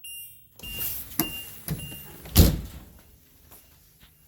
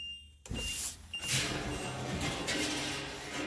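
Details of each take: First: HWH hydraulic leveling jacks retracting at about 35°F, a bit slow in the cold: steady pump hum with only soft clicks, no spring popping or banging after shimming the return springs with plastic cutting board. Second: HWH hydraulic leveling jacks retracting on an RV: hydraulic hum with sharp pops as return springs drag over lower mounting bolts, on the side not yet fitted with plastic cutting-board spacers.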